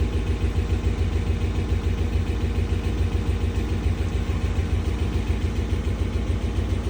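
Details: 2013 RAM 1500 5.7 Hemi at cold-start idle, code P0300 multi-cylinder misfire: lumpy, pulsing low rumble that stumbles a couple of times a second; recorded after tightening the passenger-side flange.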